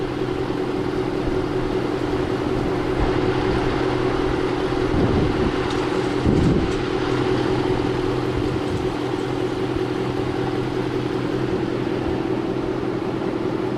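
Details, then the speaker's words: 2003 Hemi Ram truck, V8 warm and hot after hard driving, idling smooth and even with a steady low rumble, no knocks or misses. Checked because the son reported it running abnormally and the transmission slipping; the idle sounds normal. "so you can hear the truck is idling normal man it sounds really good so I'm not worried about that I don't know what he heard or what he think but that sounds normal to me"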